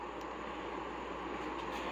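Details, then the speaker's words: Newly installed 110V 12,000 BTU mini split heat pump indoor unit in an enclosed trailer, Turbo mode with swing, cooling: even steady air rush, no knocks or rattles; normal high-speed fan. "it's actually quieter than the little temporary AC that was in there so I'm super super pleased with this already"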